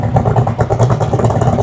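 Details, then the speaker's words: Superformance GT40 idling after coolant hose clamp leak and AC leak repairs; deep lumpy throbbing idle with even beat and heavy low rumble, car shaking, steady throughout; normal idle. "Is that not just one of the coolest idles ever? Just look at the whole car shaking."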